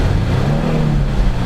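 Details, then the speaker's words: 2003 Infiniti G35 Sport 6MT, nearly 200k miles, stock exhaust: a short rev with a smooth, even note and no rattle or ticking. The engine revs freely with no timing chain noise; normal. "revs freely, nicely. There's no timing chain noise or anything of that nature."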